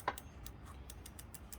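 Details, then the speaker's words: Lectric XP e-bike, wheel spinning after spoke tension work: light crisp ticks about three a second, a slight disc brake rub heard as pad squeaking, adjustable with the inner pad screw. "And it sounds like I really do have a brake rub."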